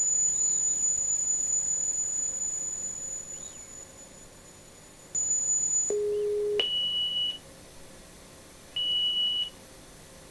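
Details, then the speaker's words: Marantz PMD 520 three-head cassette decks at normal speed, running auto bias calibration: clean, steady test tones stepping between low, middle and very high pitches, then stopping together with no error; normal calibration. "okay and these are the biased chit tones but if you hear that but like i said they uh it's very thorough the biasing"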